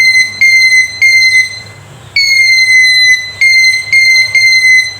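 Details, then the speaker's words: Handheld metal detector after repair, in audio mode: short clear high-pitched beeps in uneven bursts as metal nears the detection coil; detector now alerting properly. "अगर ये audio mode पे है तो ये इसका जो beep है इसकी ये ऑन होगी।"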